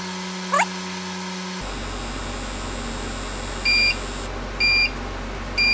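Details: Repaired Akafusion Akatherm CB315-U electrofusion welder, after replacing a blown resistor, finishing a full weld at 4.8 amps and 104 volts: steady hum, then three short high double-tone beeps about a second apart; normal end-of-weld signal, unit working.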